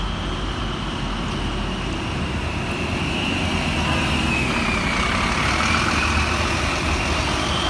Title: Weird Engine Noise | Gemini 2 on Route 186 VW1407 LK13 BHY